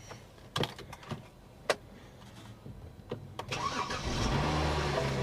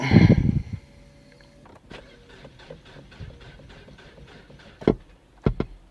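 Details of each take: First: BMW 535 with dual exhaust, auction car from an insurance claim: a few clicks and thumps, then a short crank and a clean catch into a smooth, steady idle; no check engine light yet, only a battery discharge warning. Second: Ford listed as run and drive, about 47,275 miles: faint slow even cranking about three turns a second after a loud thump, engine never catches; crank no start. Owner suspects Ford post-accident fuel disable, unconfirmed.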